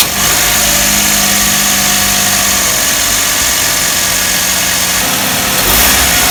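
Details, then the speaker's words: Car engine idling just after the slack AC belt was re-tensioned tight. Steady, even idle with a smooth hiss and no squeal or chirp from the belts; the noise near the AC magnetic clutch has stopped. "なんだ、鳴りやんじゃったじゃん。"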